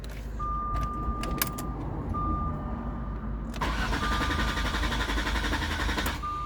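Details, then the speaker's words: Car after an attempted throttle relearn, with the immobilizer light not flashing: a chime, then steady cranking for a few seconds without the engine catching; crank no start. "Yeah, it doesn't crank. So, I mean, it cranks, but it just doesn't start."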